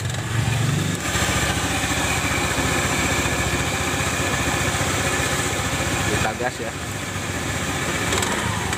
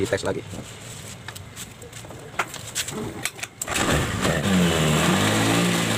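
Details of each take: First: Honda automatic scooter (Beat/Spacy/Scoopy/Vario type), CVT under a year old, rough noise from rear CVT at idle and throttle: after grinding the worn shaft end smooth and greasing, steady drone with faint rattle remaining, less harsh than before. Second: Honda Spacy automatic scooter that made a rough noise from the rear CVT on starting and throttle, after grinding the bent shaft smooth. It starts and revs cleanly with no rough rear grinding; the noise is gone and the CVT sounds normal.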